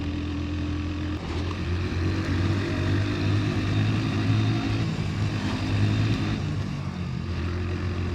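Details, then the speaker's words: 27-year-old Hero Honda Splendor Plus on E20 fuel (20% ethanol, 80% petrol), after about 10 km: steady, even low engine drone pulling in gear, second gear not working, no knocking, rattles or misses; running healthy. "अभी मैं fourth gear में उठा रहा हूं इस motorcycle को। Knocking नहीं आ रही है।"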